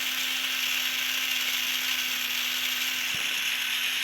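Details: Tamiya Mini 4WD MA chassis, transmission freshly oiled and gears being broken in, held near the mic: steady high-pitched whir with an even tone and no clicks or catches; motor and gears running smooth.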